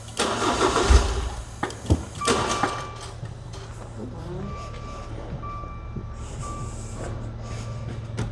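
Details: Crash-damaged Maserati non-runner: short crank, engine catches with a few loud bursts, then settles to a quiet steady idle; starts only with the relay circuit jumped by a wire, despite wiring passing a continuity test.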